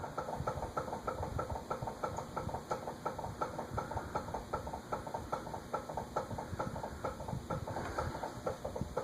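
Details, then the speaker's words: Eagle Grand Duchess (Eagle Fan Corp 2811) retractable-blade ceiling fan, new in box with a stiff blade mechanism: quick regular clicking, four or five ticks a second, over a soft hum while running; a bearing issue is suspected. "Also, it's not, of course, supposed to click like that."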